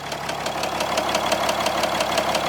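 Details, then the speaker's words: 4th gen Dually diesel truck just revived, warm after slow drive around the block: sharp evenly spaced ticks about six per second over steady idle, appearing only once warm; owner suspects valve lash or something loose. "I drove the truck around the block just kind of slowly warmer her up there's a weird that weird knock and it didn't start until it got"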